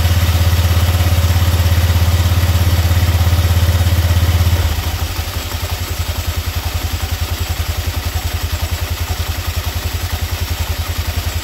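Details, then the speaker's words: Scooter after clutch bell replacement (grooved/regrooved bell), test run: brief rev then steady, even low idle thump, no rattle or scrape from the clutch side; normal idle. "Okay guys, okay na, naikabit na natin. I-testing natin, paandarin natin yung motor."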